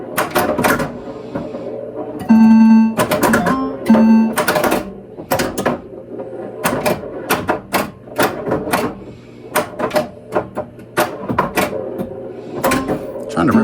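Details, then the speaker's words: Bally -35 sound board in a Lost World pinball machine, after a Big Daddy rebuild kit install: clean game effects and tones come through crisp and steady with no crackle or distortion, where it had sounded a little rough before; normal sound board output. "Okay, well, I think that sounds pretty good."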